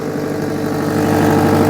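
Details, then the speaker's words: Mitsubishi Pajero Junior, 1100cc 16-valve, long parked in a scrapyard, idling on a jump pack: an even idle with a fast puffing chuff over the engine note. The exhaust blow is suspected to be on the downpipe, not confirmed. "Oh yeah, that might even be on the downpipe by the sound of it."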